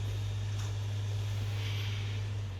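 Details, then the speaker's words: Five-week-old PS5 CFI-1216A after a foreign object was removed from the disc drive: only a steady, even low hum as the disc spins up. No scraping or clatter remains, and it is much quieter than before the repair. "oh that sounds nice not like the clatter we had before oh yeah excellent you can hear it spinning up"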